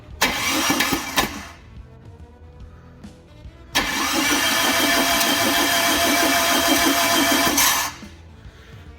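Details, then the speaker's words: Wrecker-yard four-cylinder engine cranked on the starter with all spark plugs out, fast even cranking; cylinder one shows almost no compression, owner suspects a stuck rock or stuck valve. "cylinder one has very low compression i'll just put my finger over the end of it and crank it over and there's basically nothing there which is a hell of a worry"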